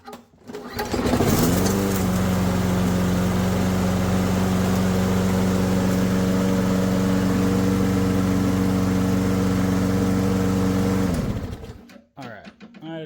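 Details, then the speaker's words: Junked machine with a ready-start (no prime, no choke) engine, tank bone dry and refilled, oil good, fires on the first pull and runs a steady, even drone with no misses until shut off. Normal running. "just got to stop it right there. What? First pull? Are you kidding me?"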